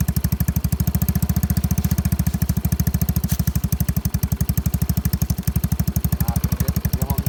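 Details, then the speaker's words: Yamaha Mio scooter with new engine and new battery, started for a listen; steady, even single-cylinder putter at idle, firm low beat with no knocks or misses. Normal idle. "รถคันนี้เครื่องดีมากครับบนเป็นแบบดีอ่าเดี๋ยวสตาร์ทเครื่องให้ฟังครับดีครับ"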